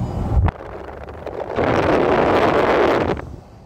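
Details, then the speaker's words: VW Touareg V10 5L biturbo in limp mode with engine light, codes P2279/P0299: loud breathy whoosh swells about 1.5 s as revs climb then fades, with juddering and thick black smoke under acceleration; boost leak on the turbo air intake. "quand j'éteins le contact ça revient à la normale mais ça dure pas longtemps ça le bruit le souffle"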